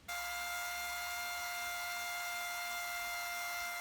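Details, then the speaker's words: Drummond transfer pump, after draining a 50-gallon water heater in about 15 minutes, running dry: loud steady high-pitched whine with sharp tones. "okay it's at the end let me run and unplug yeah you could hear that thing whining"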